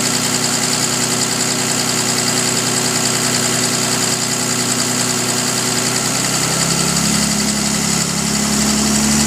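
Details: 2005 Dodge Ram Cummins 5.9 diesel at idle: faint, slightly uneven tick about three to four per second, loudest when cold and fading somewhat once fully warm; cause not pinned down.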